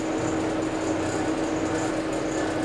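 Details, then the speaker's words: El Camino with nearly 300,000 miles and a leaking, worn steering box, engine running: constant mid-pitched whine over steady engine, unchanged throughout; attributed to the power steering pump. "that noise it's just going to be the power steering pump"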